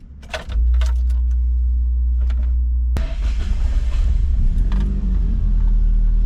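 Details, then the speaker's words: Toyota AE86, road test after rebuilding the rear-end bearings: a faint steady whine over the low road rumble, about as loud as before the rebuild; rear differential whine persists, cause uncertain. "I'm definitely hearing some sort of a wine oh there's a considerable wine if you I mean I'm sure you can hear it it's kind of about what it was before it's not really any better"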